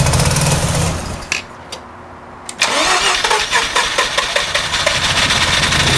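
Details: 88 GXL gives long rough cranking bursts with a pause but never settles into a run; it cranks but won't start.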